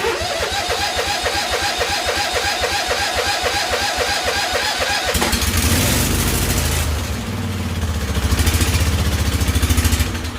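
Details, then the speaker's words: Husqvarna YTH2148 lawn tractor, Briggs & Stratton Vanguard V-twin, after carburetor work: uneven, lumpy choppy firing that falters and surges, running on only one cylinder; one side not firing consistently. "sitting only on one cylinder for some reason oh man she's still not happy"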